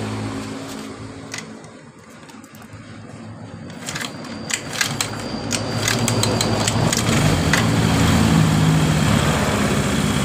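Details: Carbureted Honda Vario, previously dead after engine rebuild/oversize, after checking ignition, fuel and compression: catches after a few tries and settles into a steady, even putter with no knocks or misses; normal start and idle.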